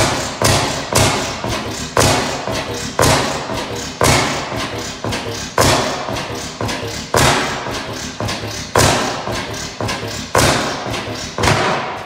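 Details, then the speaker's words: 15 hp Bessemer kickstart oil field engine, first run in about ten years, no governor belt: heavy regular thumps about every second with occasional skipped firings; hit-and-miss engine running healthy. "okay old girl still got some life in it"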